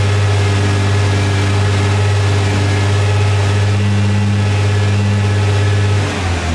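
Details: Nissan R35 GT-R after flywheel housing replacement and transmission solenoid valve work: steady deep idle, even low drone, no rattle or clatter; previous flywheel housing rattle gone, normal idle.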